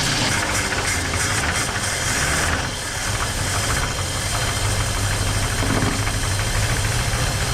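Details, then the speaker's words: 1968 Ford Mustang 289 V8 after sitting 30 years, running after ignition work with a little fuel poured in; steady, lumpy idle, even low burble, no misses or knocks, normal idle. "a little bit of fuel ready yep oh yeah there we go she's good now ready yep"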